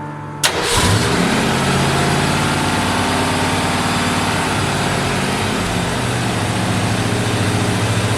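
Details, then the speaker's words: 1964 Ford Fairlane V8 with large cam and old Busch Series race carburetor, first start after swap: fires at once into a fast even idle, probably over a thousand even with idle screw fully down; secondary blades too open. "it's got the secondary it's too too open open the blades are too open"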